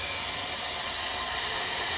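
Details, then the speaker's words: Fleck 5600SXT water softener in the brine draw step, with the cam depressing the brine draw piston: a steady, even rushing hiss as brine is drawn from the brine tank, with no gurgling or sputter. Working normally; the step is set for 1 hour. "and you can hear now it is drawing up the brine from the brine tank, and if you feel the hose you can feel that it's actually doing something."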